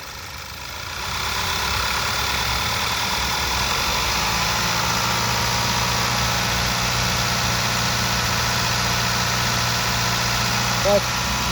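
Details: Skoda Superb petrol engine, after cleaning oil from the plug and coil area (leaking tappet-cover seals) that had caused a cylinder 1 misfire (P0301): steady, firm, unbroken low idle hum with no stumbles, running cleanly on all cylinders.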